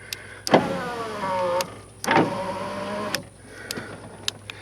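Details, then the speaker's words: 1994 Astro Van, power windows after repairing broken load-side pin in the fuse block power window circuit; two smooth motor whirs, steady pitch, clean stop, both sides working. Normal power window operation. "both sides work now on the load side the pin broke"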